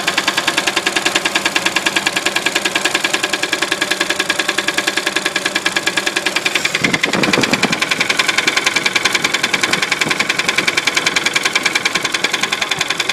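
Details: 1966 Studebaker engine running with a sharp, regular ticking knock about three and a half per second, steady throughout; internal engine knock, cause unknown.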